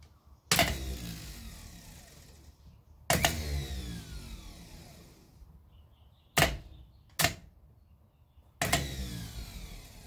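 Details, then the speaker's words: 1968 Datsun 1000 shed find, starter motor bench-tested off the car, body grounded and solenoid terminals shorted to get the throw-out working. Five sharp clacks, each followed by a quick free spin winding down. The starter works on the bench; ring-gear engagement is not yet confirmed. "as far as the bench test goes it seems to be working whether it engages with the ring gear or not is yet to be seen"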